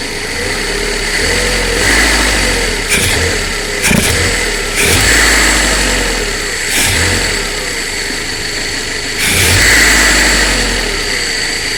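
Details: 1.2 8v Fiat Punto petrol engine idling unevenly with irregular stumbles and jolts; misfire on cylinder 2 at idle.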